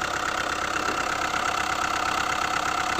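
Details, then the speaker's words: Hyundai i20 diesel idling, with its connecting rod bearings already replaced and the noise still there: a hard, uneven knock about three times a second and a lumpy beat, a misfire traced to a burnt valve. "सबसे पहले आप लोग जो है तो इस गाड़ी की फायरिंग सुनिए किस तरीके का नॉइस आ रहा है इसके अंदर यह देखिए बहुत ही ज्यादा नॉइस आ रहा है इसके अंदर"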